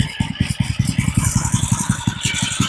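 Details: Old edger with replacement engine and kill switch fitted, started on full choke: slow, steady single-cylinder chuff at a very low idle, even and clean with no knock or miss; starts and runs well.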